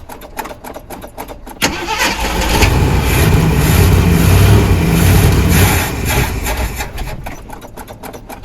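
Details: 1979 Jeep Cherokee, AMC 360 V8, sat 3-4 years; starter cranks about four turns a second, V8 catches and settles into a steady idle; normal start and idle.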